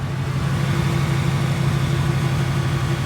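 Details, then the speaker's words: 2018 Ford Mustang V8 idling right after a drag strip run: steady, even idle with only faint normal direct-injection chatter and no tick; owner says it lacks the ticking noise. "So this is the after we just went to the drag strip. You don't get that same noise."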